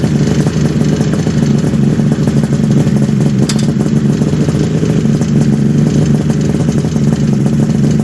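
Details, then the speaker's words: 1974 Kawasaki H2 750 two-stroke triple, revived after 34 years: even crackly burble holding steady low speed with no hunting or misses, all three cylinders smoking evenly; normal idle. "Now this is how we set the idles. That's awesome. You can play with the idle screws, kind of glisten a little bit, hold it. You don't want to be over like 1800."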